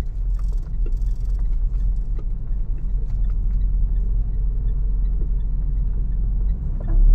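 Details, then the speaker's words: Mitsubishi Montero with noise from the rear when the suspension moves: light irregular ticks over a deep rumble, like tapping or drumming, from the rear coil spring end clicking on its seat; the planned fix is a coil spring insulator. Sway bar ruled out. "Mitsubishi Montero viral lang po virtual sir parang may pumipitik Oo parang may nagtatambol eh dito tayo n sa likod"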